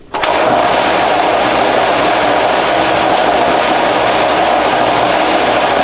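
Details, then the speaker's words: Large air compressor in an enclosing box, pressure control valve just adjusted, building pressure: very loud, constant clattering over a steady hum, sounding like it will rattle itself to death; loud rattling compressor, cause unknown. "it is the loudest compressor I've heard in my life I've heard a lot of big compressors but this one uh sounds like it's going to Rattle itself to death"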